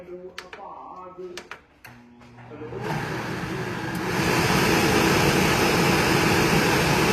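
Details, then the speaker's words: Miele range hood fan after its seized-bearing motor was replaced with a new one: a few switch clicks, then a steady rush of air that steps up one speed and holds even. The fan runs smoothly after the repair. "So, the new motor is installed. That's the old one right here. Just going to give it a test. Turn it on."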